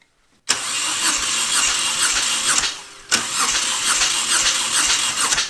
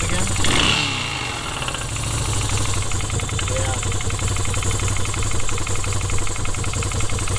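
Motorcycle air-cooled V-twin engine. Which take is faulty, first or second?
second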